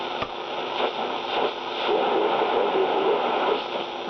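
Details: 1960 Philips B3X00U radio with dirty band switch, needing recapping: steady hiss and crackle, no clear station; noisy, weak reception on that band.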